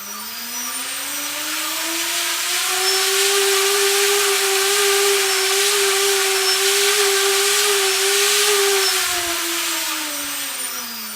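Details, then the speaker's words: UBAD Inversion DX 250 quadcopter, T-Motor 2206 2000KV motors, DAL 6040 props, UBAD 20A ESCs; full-throttle run, clean whine climbs, holds steady, winds down, no roughness or ticking; healthy brushless motor. "during that last test I wasn't using full throttle so now standings all clear I'm going to need to post office just listen to the sound"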